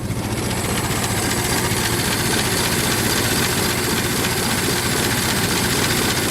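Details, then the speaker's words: Ford Model T four-cylinder after cold start, running at full spark advance: even, quick chuffing with no coughs, spits, hesitation or gasping for fuel; running cleanly and healthy. "spark and we should be able to rev it up with no problems um without it uh gasping for fuel"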